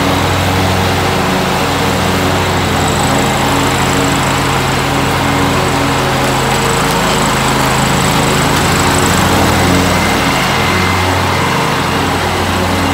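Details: 2003 John Deere X485 garden tractor, 25 hp liquid-cooled Kawasaki EFI engine, 671 hours, recently serviced: steady, even engine hum with a faint high whine, no knocks or misses; starts right up and runs normally.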